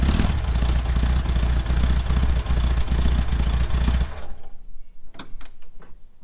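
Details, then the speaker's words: Corvair flat-six with single exhaust at idle: a light, even tick about twice a second heard on the right side. It is unclear whether it is an exhaust tick or a lifter tick. "I have to be careful because I hear the tick on the right side and I feel like, oh, it's got to be the right cylinder bank."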